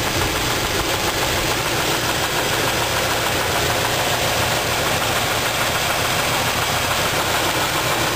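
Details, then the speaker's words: Engine running steadily, dull irregular knock under heavy clatter while the valves are adjusted to rule out a lifter; rod knock traced to a bad rod bearing on cylinder two. "what I'm gonna do is tighten and loosen these valves I'll move tight-knit till it doesn't run good and loose until those not good and see if I can give her the knocking noise maybe it's about lifter itself"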